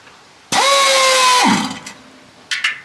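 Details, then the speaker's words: 1980 Mack FR700, first start attempt in 10+ years. Starter gives about a second of hiss and a free-spinning whir, then dies without cranking: it is not engaging. Suspected Bendix drive stuck on its threads or faulty. "she looking at work today B so St is not thrown in as you can hear there which is a bit disappointing"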